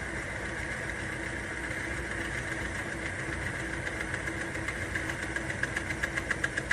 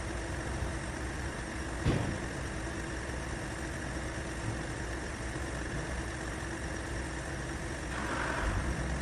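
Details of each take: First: Timken bearing lubrication test rig with weight added as load on an unlubricated bearing: a steady motor hum, then sharp regular ticks and scraping build as the drive strains; dry bearing friction and wear stall the wheel quickly. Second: Now, if you listen closely to the sound, you can hear that it's a lot smoother. And there's less sounds of straining, and there's no squealing.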